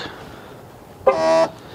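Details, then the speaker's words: 2016 Dodge Caravan sliding door: short harsh reedy buzz as the power lock operates, then a small click, heard each time the door locks; suspected failing sliding door lock actuator. "so complain of this car when you lock it you can hear a sounds coming from the door actuator"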